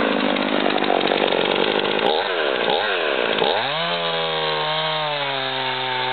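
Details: Husqvarna 55 chainsaw test cut: the saw bogs with a rough, ragged cut, then climbs cleanly to a strong high rev; the engine runs strong, but the sawdust shows the chain is dull and needs sharpening.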